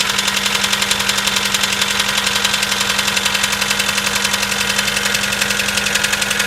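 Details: Mitsubishi 4G94 engine on cold start: sharp even ticking knock about three to four per second, steady over cold idle; cause unknown.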